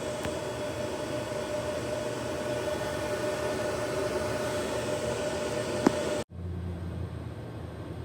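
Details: Gen 1 Ubiquiti US-48-500W 48-port PoE switch after replacing the loud stock fans with Noctua NF-A4x20 fans: a soft, steady whoosh with a faint even hum and no rattle, tick or whine. The fans run quietly and normally.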